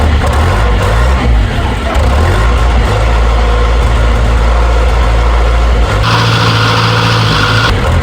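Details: Series 2 Land Rover diesel, first start in three years after a new starter motor and with a weak battery, glow plugs used: loud, steady clatter with an even beat and no misses; healthy idle, alternator working.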